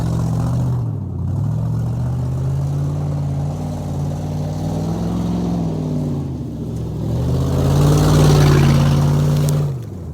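Car engine revved up and down with a loud, raspy, blatting exhaust note from an exhaust leak.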